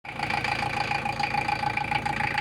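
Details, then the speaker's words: Toyota 1KZ-TE diesel at idle with a sharp, regular metallic knock, about nine beats a second; the knock disappears with a slight touch of throttle and returns at idle. "Вот это холостые чуть-чуть трогаешь педаль газа сейчас Курбан подожди чуть-чуть даешь звук пропадает стук пропадает"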